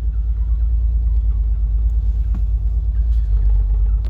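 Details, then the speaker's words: 1979 Opel Monza Series 1 barn find, first runs with fuel tank installed, original injectors: deep, uneven low rumble with unsteady beat at idle; lumpy running, probably missing on one or two cylinders, later injectors suspected to need more voltage. "you heard earlier it was running very lumpy probably missing on one or two cylinders"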